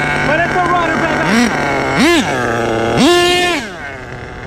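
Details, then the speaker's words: HPI Savage 21 nitro RC truck with rebuilt Dynamite .28 engine: crisp idle, then clean rising revs three times settling back without stumbling; a good runner, normal running. "It's a runner. It's a good runner, too."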